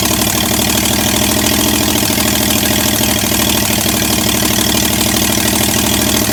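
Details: Chevy 307 small-block V8 in a 1965 C10, first start in 20+ years, run briefly without exhaust manifolds: loud raw open-port idle with uneven lumpy beat that stumbles; ignition timing was wrong, later fixed.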